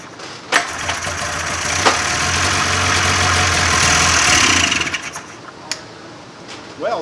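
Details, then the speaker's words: 1995 Polaris Indy 440 snowmobile after carb cleaning, new fuel lines, fuel pump and carb boots, fuel poured into cylinder: rope-pull clatter then a few seconds of ragged popping that fades; fires briefly then dies, fuel likely not yet reaching carburetors. "a little bit of Life there I don't think we quite cut the gas into the carburetors yet so we're gonna try this one more time"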